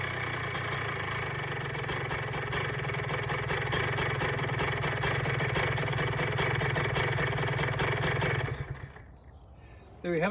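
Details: Cold start of a 2006 Honda CR125R two-stroke after full ground-up OEM rebuild with OEM crank, new OEM top end at 25 hrs and new SKF seals: crisp, even popping holds steady eight seconds without hunting, then dies away; idles cleanly.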